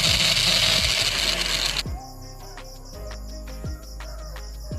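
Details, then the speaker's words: Mixer grinder motor run on direct connection: very loud high-pitched roar and grind, motor not running properly; shaft found loose and moving easily in its bushing, worn bushing causing the noise. "আপনারা আওয়াজটা শুনলেন মোটরটা প্রচন্ড জোরে জোরে শব্দ করছে আপনারা সেটা খুব ভালো করে বুঝতে পারলেন"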